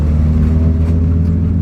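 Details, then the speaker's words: 1994 Acura Integra at 60 mph on the highway, phone held toward the back: a steady low droning hum from bad rear wheel bearings/hub assembly, with no vibration (tires not unbalanced). "hub assembly and wheel bearing, you're just gonna hear it hum. That's all it's gonna do."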